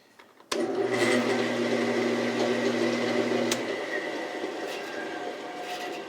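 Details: 1948 Delta Milwaukee 14-inch vintage bandsaw, running more quietly after work between the screw studs and wheel covers: motor starts with a thump, settles into a smooth steady hum, then coasts down quietly after shutoff; normal running.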